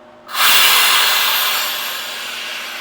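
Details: Pentair Clean and Clear pool filter: air release valve opened to release pressure, a sudden strong hiss of escaping air slowly tapering off over a few seconds; normal venting.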